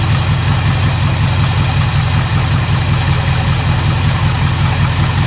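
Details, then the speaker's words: 1967 Mustang barn find after new power valves were fitted and carburettor orifices cleaned: deep, steady burble with an even beat, no misses or hunting; idles perfectly, though the source of extra fuel is still unknown. "I don't know where it's getting extra fuel from but that is sitting there and idling perfectly so maybe it was not good"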